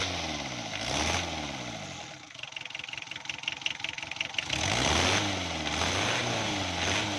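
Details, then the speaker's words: Diesel engine after fixing hard starting and weak pickup by retarding the injection pump and tightening its 12 mm bolts: brief regular cranking, clean catch, revs up and settles into a steady idle; healthy start. "Starting में गाड़ी बिल्कुल सही हो गई है दोस्तों।"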